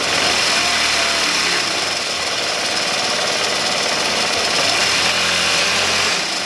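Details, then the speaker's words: Honda Elite 80 (CH80) scooter, over 11,000 miles, after rebuild of a catastrophically failed engine: first totally cold start at 32°F, small single fires right up and runs steady with a busy high buzz at fast idle, no knocks; healthy. "all right well i am super stoked with that result uh engine fired right up and really ran great"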